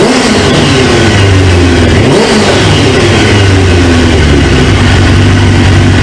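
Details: 1999 Suzuki GSX-R 750 four-cylinder, newly installed used engine, restarted after reseating a pinched fuel quick-connect O-ring: steady low drone, even pitch, no misfires; idles smoothly, though owner then suspects a leaking fuel injector O-ring.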